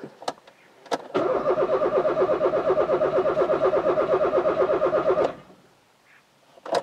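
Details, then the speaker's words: Rover 216 convertible being prepared for MOT: starter turns the engine evenly about three beats a second for four seconds but it never catches and no fuel pump hum is heard; owner suspects an earth fault again. Crank no start. "i can't hear the pump again i don't believe it i cannot hear the pump yet again"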